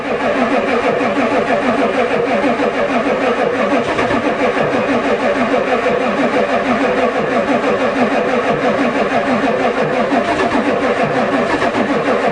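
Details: Ford diesel truck at +4 °C, long rapid cranking about three beats a second, no catch, on the two best batteries; the new glow plug controller never clicked, owner suspects it doesn't work.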